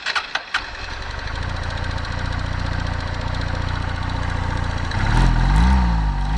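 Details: Rattly knock of about 220 a minute over the idle of a single-cylinder 2014 Honda CBF 125, a wrecked bike said to need a valve adjustment; timing chain, piston pin or crankshaft rattle is suspected, unconfirmed.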